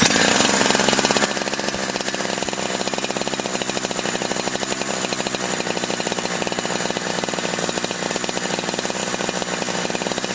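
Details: Holzfforma G372 chainsaw, warmed up a few minutes after crank seal replacement to fix not holding a tune; short rev then an even quick rattling idle with steady firing and no hunting, running consistently, tune little changed.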